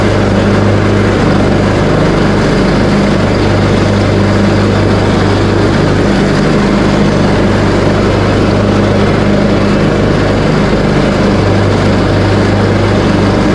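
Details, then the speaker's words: Craftsman T130 riding mower, bought used and just repaired including a new deck engagement cable, started on choke and mowing with blades engaged at a high deck setting: steady unbroken single-cylinder drone; running normally under cutting load. "and now I'm going to do a little cutting with it just to show that everything is working properly"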